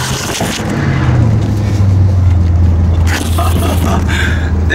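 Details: Ford F150 V8 carburetor after fitting bigger jets, running at 100 degrees warm: pulls up smoothly with steady deep drone, no hesitation or flat spot; earlier rough noise traced to the rear, not the engine.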